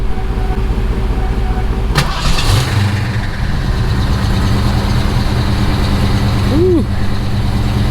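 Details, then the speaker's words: Fox-body Mustang with Magnaflow exhaust, sat for months, battery weak: long crank then uneven catch, stumbling before settling into a lumpy, throaty idle; rough start but running. "of a rough start kind of a rough start but as you see she is running still sounds good with those magnaflow's"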